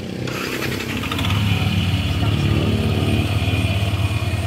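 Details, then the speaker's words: NMAX/Aerox/M3/Sniper-type scooter after fixing loud knock from timing chain slapping as cam opened valves: steady low even putter, no slapping or ticking; quiet smooth idle. "Maingay kanina. Tahimik na ngayon mga kabulido. So yan, napakatahimik na oh."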